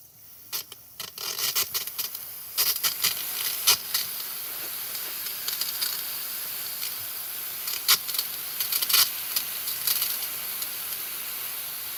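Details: Water heater hot water at the tap: steady hiss of rushing water with sputtering spits, water hot and flowing freely though containing deposits; burners not going full blast, one burner won't shut fully off; normal hot water flow.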